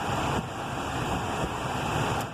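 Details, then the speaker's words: 2004 Citroen Xsara Picasso interior heater fan that only works on speed 4. It is silent on 1–3; on 4 comes a steady airy rush with a faint constant whirr at full blast. The fault is almost always the heater resistor, fixed by replacing it. "you can see it comes on full blast. Now when you've got a situation like this where it actually works on the top speed, which is usually 4, whatever it is, where it works on the top speed but it doesn't work on the lower speeds, it's almost nearly always the heater resistor."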